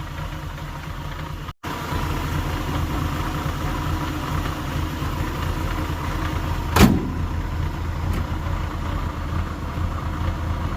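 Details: 1989 Mercedes 190E 2.6 automatic, long-neglected: low, steady idle with a slightly uneven, lumpy beat and one sharp click midway; runs fine at idle, owner suspects fuel issue behind a misfire at wide open throttle.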